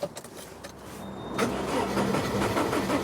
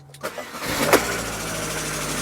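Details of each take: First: Rover 25 with K-series engine: quiet whirr then laboured, sluggish cranking, catching after a few seconds; slow cranking. Battery only 44%; battery and earth issues to be investigated, cause unconfirmed. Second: Car with a 1.4 K-series engine, used as the comparison car: brief crank, then it catches almost instantly and settles into a smooth steady idle. Healthy quick start.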